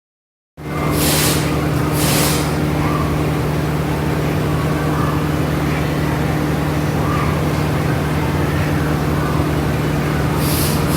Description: Underbody inspection of land Rover LR2 reveals damaged front muffler( this vehicle has 2 mufflers, one in forward exhaust stream and one on rear exhaust stream) causing exhaust leakage with audible exhaust leak noise.